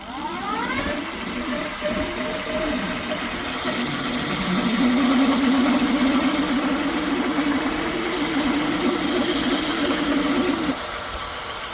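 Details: Brand-new Ducaway Silvertip 8 hub motor spins up with a rising whine, then a rough, warbling hum with uneven buzz and vibration; smooth without motor, wheel not rubbing, brakes adjusted; owner suspects defective motor or bearing.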